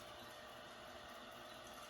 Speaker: So it's filling up the reservoir now. That's the noise you hear.